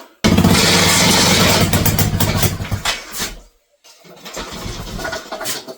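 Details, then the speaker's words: Mini bike small engine, first start after wiring: fires up loud and uneven, stumbling about four pulses a second before dying and restarting; running rough. "that was not sounding very well"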